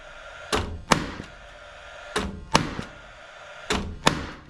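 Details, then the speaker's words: Paslode cordless lithium-ion 16-gauge finish nailer after replacing expired trim fuel cell: three clean pairs of sharp cracks, each shot preceded by the fan whir, every trigger pull firing; normal firing. "so at this point it's fired every time I fired quite a few shots no issues whatsoever with the gun"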